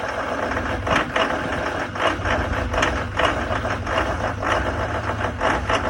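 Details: 2019 Duramax diesel cold-started at 15 below zero, idling unevenly with sharp clattering bursts every half second or so over a low rumble; rough idle present since new.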